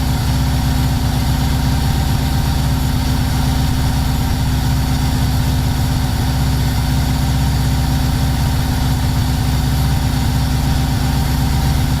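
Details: First start of the Subaru engine swapped into a VW T3 Combi, coolant at 76 °C and not yet warm: deep idle with an irregular, stumbling beat of about four pulses a second. The mixture is far too rich, roughly 12.5, and it smokes black.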